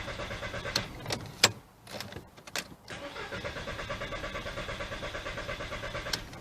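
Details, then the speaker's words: 2003 VW Beetle 1.6, fuel pump 15 A fuse pulled to depressurize fuel before a timing belt change: steady even cranking churn about one and a half beats a second, never catches; no fuel pressure. "There we go, no longer starting. So I need to depressurize it a bit more."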